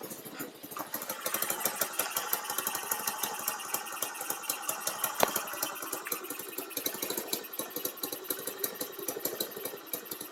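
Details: Baja Dune 150 buggy with Chinese engine, idle screw turned up and throttle adjusted after it died on gas: catches and settles into quick, even popping idle without stumbling; runs cleanly now.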